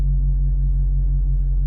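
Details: 5.7 HEMI V8 idling at about 600 rpm after installing a used BBK 85mm throttle body and new gasket, no check engine lights: deep, steady low rumble with no misses, knocks or hunting; healthy idle.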